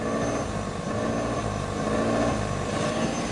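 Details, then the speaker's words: Brand-new 2022 Ford Maverick Hybrid with 300 miles, parked, heard at the tailpipe: idle rises and falls about once a second like someone blipping the throttle, along with a rotten-egg smell; owner suspects the catalytic converter, cause unconfirmed. "Just basically like someone stepping on the gas, off the gas, on, on. You can hear it, obviously."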